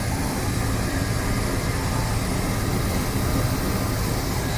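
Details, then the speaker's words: 1977 Cadillac Coupe DeVille, about 44,000 miles, idling near but not yet at operating temperature with the hood closed: even, low, quiet rumble with no knocks or ticks. Normal idle. "once again here's the engine idling it's not at the operating temperature but it is getting close"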